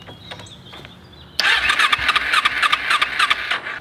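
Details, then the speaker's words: Motorbike stored about 4 years with a full fuel tank, fuel leaking from a hose aimed at the battery: cranking on choke gives weak clicks and whirs, then it catches abruptly and runs rough and uneven at high revs; hard starting. "So one thing that's happening is that when you crank it, turn on the choke, and you can see it wants to start."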